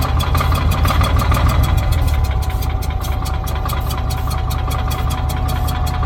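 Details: Old Cat D6 dozer, running after the fuel supply was switched back on. The big diesel clatters at a steady, low, thumping beat of roughly three pulses a second, running fine now that it has fuel.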